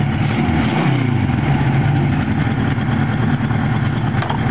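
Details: Restored 1979 Kawasaki KZ1000 with newly fitted Mac 1978 two-into-one slash-cut exhaust: quick blip of revs, then a deep, even exhaust note with no knocks or rattles; engine sounds healthy and smooth.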